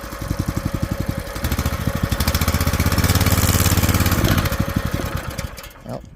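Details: Old small single-cylinder scooter after years sitting, run on choke: putters unevenly at about three firing pulses a second, picks up briefly, then fades; no clutch scream; dies whenever choke is removed, won't take fuel even warm.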